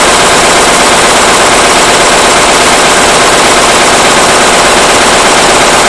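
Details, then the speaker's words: Powerline Lister single-cylinder diesel after fuel system drained and fresh fuel added: loud, sharp chugging about three beats a second, uneven strength; rough misfiring from startup, worse than before; owner suspects injector pump or injector, unconfirmed. "I don't know it's not any better matter of fact it's worse used to start smooth and run rough and now it pretty much just runs as you see pretty rough right from the get-go"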